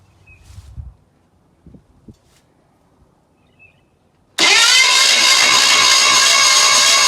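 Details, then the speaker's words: Old Ford big-block mud buggy, sat unused for years, cranked on a borrowed battery with spark plugs out after water was found in the front cylinder: a few clanks, then a fast hissing churn with no compression pulses. It spins freely and is not seized. "did look like there's a lot of water and front cylinder right here squirted pretty good a little bit of rest let's see if we can blow the rest of it out"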